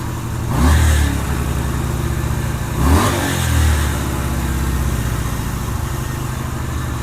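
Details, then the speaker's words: 2007 Yamaha Virago 250 after a CDI replacement, on choke, charging about 14 V: two sharp throttle blips, then the revs hang and drift down slowly instead of dropping straight to idle. Slow return to idle; needs a minor tune adjustment. "Yeah, that's showing good charging voltage. Taking throttle really good, but it takes a while to come back down to idle."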